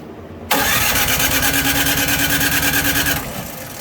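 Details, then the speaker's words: Electric-start Craftsman snow blower with Powermore engine and Huayi carburetor, spark confirmed good: starter churns the engine steadily for about three seconds but it never fires; cranking no start, carburetor/fuel issue suspected. "I don't get anything out of it."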